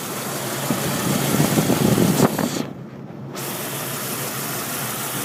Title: Rough idle